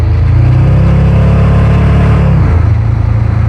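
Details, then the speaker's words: Roadkill Jaguar ("Draguar") after parking-lot engine swap, blower-equipped, in 48° cold; engine pulls hard and rises cleanly under acceleration with no pinging or rattle: no detonation. "That didn't ping. I think we're good. We're good."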